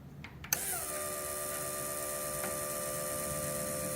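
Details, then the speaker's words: 1968 Honda CL175 converted to supercharged fuel injection on E85, regulator set to about 50 psi: a click, then a steady high electric whine as the fuel pump, switched on in the software, runs and holds pressure normally. "All right, so I'm gonna click the pump on in the software, just make sure we can actually hold fuel pressure."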